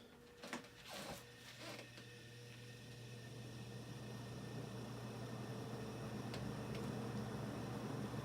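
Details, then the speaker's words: Superlectric box fan on its first start after a motor rebuild (bearing area sanded with 320-grit, blades temporarily taped on): low steady motor hum with a slow rhythmic wobble from badly uneven, bent blades; fan blade imbalance. "the leaves are very uneven very much so and then here's all right okay it's standing up the blades are super uneven like bent and it's still making that sound"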